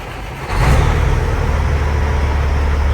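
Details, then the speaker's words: Freightliner FLD semi truck with Caterpillar C15 diesel, bought with a miss and a delete file, normal start-up: quick crank, then a deep, steady, even idle with no knocking or misfire; oil pressure 70 psi at 1500 rpm. "Check the oil pressure one more time. I went to [Music] 1500 70 lb. I think she's pretty happy."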